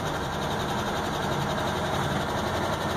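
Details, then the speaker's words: Truck at high idle just after starting, heard from inside the cab: a light, fast engine tick over exhaust-leak noise, before adding about a pint of ATF to the oil as a flush. Stuck lifter suspected, not confirmed. Engine tick at idle. "there's a little bit of an engine tick and I don't know if you guys can hear it or not from inside the cab"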